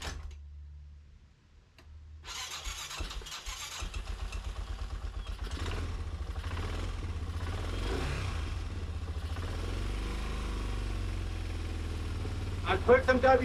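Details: Wilderness Trail 250 four-wheeler, Facebook flip, cold start with choke after fixing ignition and WD40 put in the cylinder: brief cranking, catches in about four seconds, fast slightly lumpy single-cylinder idle keeps running. Normal cold start.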